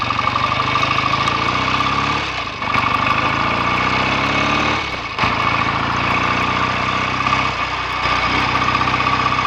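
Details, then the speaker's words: BSA A65 twin after ~6-mile test ride, clutch springs preload increased and carbs and plugs drained and cleaned for misfire; steady idle with brief throttle dips, firing evenly without stumbles, clean exhaust; normal idle. "Exhaust is nice and clean now, settling down nicely. I think perhaps it's ready to go home after all."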